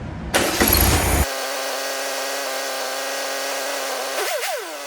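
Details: 1967 VW Beetle engine running on a stand after rear main seal replacement, valve adjustment and timing set: catches quickly, settles into a steady even buzzing idle, takes a quick throttle blip cleanly; a healthy normal idle.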